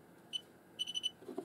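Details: Xiaomi Yi action camera gives a short high beep, then four quick even beeps and a click: the normal stop-recording signal, after the SD card error was fixed by reconnecting Wi-Fi.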